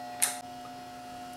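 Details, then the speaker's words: Samsung HPT5064 plasma TV power supply, standby section working: two sharp relay clicks about a second apart over faint mains hum, main oscillator not starting and no output voltages; caused by cracked lead-free solder joints on the power supply board. "So my power supply still has a problem. It's not starting. The standby part's working. You can hear it close the relay, but the oscillator's not starting."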